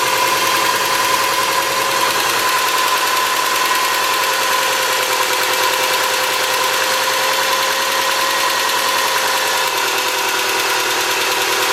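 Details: 2003 Subaru Forester, 178k miles, ~150 miles after head repair for dropped valve guide, cold start idle: quick steady light ticking from driver side; exhaust valve clearance on driver-side front cylinder .029 instead of ~.010, adjusted and noise gone.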